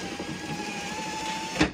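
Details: Car power window that previously made a croaking, gear-skipping sound when raised, after repair of the slipping motor gear: steady even motor whir, then a clean stop with a soft thud at the end stop; working normally.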